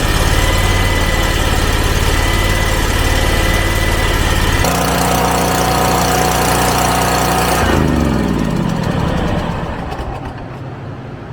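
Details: Hustler Fast Track mower, Kawasaki FR691 V-twin, after valve lash adjustment: even running stepping up in speed, smooth winddown at shutdown, no ticking; normal running.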